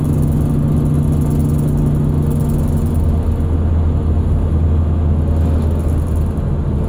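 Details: 2001 Ford Excursion with a steady low drone over the vehicle's rumble; a constant whine whose source is unknown and still being diagnosed.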